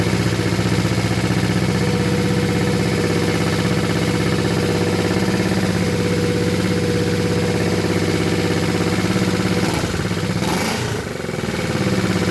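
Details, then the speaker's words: Honda CB350 twin, first start after basket-case rebuild and a month unused, choke just turned off: light, fast ticking over a steady idle; owner suspects valves or cam chain, maybe easing once oil pressure builds. "oh I turned the choke off that pinging noise I'm hearing is in the valves or the chain up there or something maybe it'll go away when it gets a little oil pressure built up"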